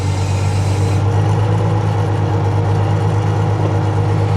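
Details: Freightliner Unimog FLU419 SEE military diesel at raised idle, working the backhoe hydraulics (stabilizers, boom) on asphalt. Steady low drone with no whine, squeal or knock; normal hydraulic operation.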